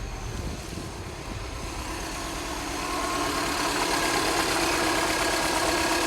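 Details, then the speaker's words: Non-running Mini Cooper S started on a jump pack with a dead battery: rough, uneven, lumpy stumbling idle with visible engine shaking; engine misfire at idle. "And you can see it's got a misfire as well with all that shaking. Doesn't sound too bad though."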